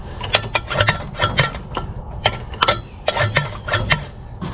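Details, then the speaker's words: 1951/52 Plymouth Cambridge with seized engine, PB Blaster in cylinders, being jerked over by hand: uneven single clunks each time it turns; owner suspects a bad rod knock. "I'm pretty sure this thing has a bad rod knock. Just listen to this clunk whenever I go to turn it."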